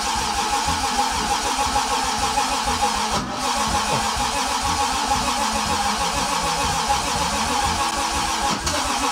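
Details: Toyota 2JZ engine swapped into a car, first start attempt after wiring (automatic-origin engine needing park/neutral switch): starter turns it over in a steady rapid churn for several seconds, never catches; cranks without firing.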